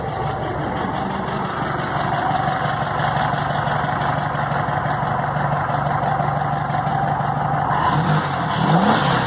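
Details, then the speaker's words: VW Beetle (Fusca) air-cooled flat-four after replacing a very dried-out, overage belt that was causing a strange noise. It runs with a steady, even beat and a clean rise on the revs, no squeal or chatter; noise gone. Normal running. "então galera é isso aí mesmo conforme o suspeitava então né agora com a correia nova o barulho sumiu"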